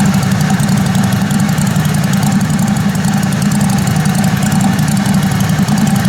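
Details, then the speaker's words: Kohler Command Pro 27 hp lawn mower V-twin after a head gasket repair, with the muffler baffle drilled out; loud, raw, steady open-exhaust idle with no misses; runs smoothly. "But it's wide open now. My neighbor's gonna love me."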